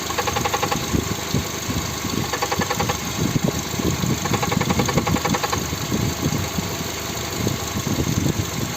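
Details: Volkswagen/Skoda 1.6 MPI (BSE) petrol engine at cold idle: a quick, even tapping knock rides on top of the engine; the mechanic says he found the cause after removing a component, but it is not pinned down in this clip.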